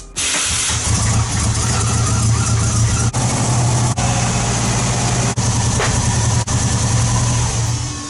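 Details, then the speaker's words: 2003 Subaru Impreza WRX engine in a 2005 Peugeot 206 rally build, run after thermostat removal and before tuning: steady low idle broken by sharp dropouts a second or so apart; bad misfire, owner suspects sooted-up plugs. "it's misfiring quite bad I suspect the plugs are suited up again so I'll take one out and have a look"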